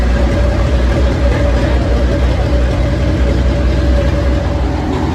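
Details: 85-year-old tractor running hot after a new 3D-printed carburettor float and a magneto rebuilt from parts: a deep, steady low rumble with no misses, surging or knocks. The engine runs smooth and even.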